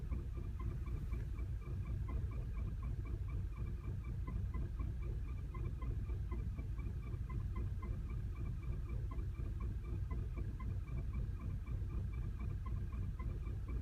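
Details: 2010 VW CC, 29k miles, clutch replaced and transmission bled under a week ago: low uneven throbbing idle with a faint tick and wandering beat, check engine light flashing; calms at higher rpm; rough misfiring idle, cause not found.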